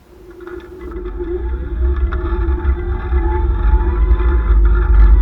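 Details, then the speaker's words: The Monster, recorded by a camera in a waterproof case picking up sound through the frame: a deep motor rumble building with speed under a wavering gritty drone. Brand-new rear hubs fit poorly on a new axle and grind on their splines, likely both sides. "oh that is the hubs grinding again i know what's gonna happen if i let that go it sounds like both of them are doing it"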